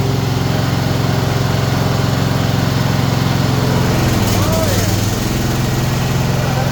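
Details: Bolens ST120 Hydro lawn tractor after refitting missing pulley shaft key, belt and spring, deck removed, testing drive: loud steady single-cylinder drone with even beat, no knocking or hunting; running healthy.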